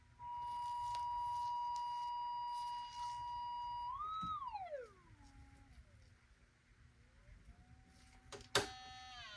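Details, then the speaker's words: Mid-1930s Airmaster 5-tube radio (25L6 output tube position) under evaluation, field coil energized with a 9 V battery: steady clean loud test tone gliding away, no rattle or buzz; normal loudspeaker and output transformer output. "And just for the fun of it, I'm going to energize the fill coil just using a 9volt battery. [Music] You can hear the difference that makes"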